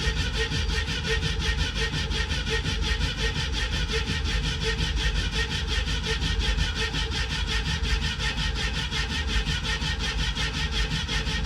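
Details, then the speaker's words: 1967 Ford Mustang with a 302 V8, stored since 2008, about six gallons of fuel just added: steady, even starter chugging with no firing at all. Owner hopes the pump is delivering fuel and may pour some down the carburetor. "Hopefully, we're pumping fuel. I put about six more gallons in. Might have to pour some down the throat."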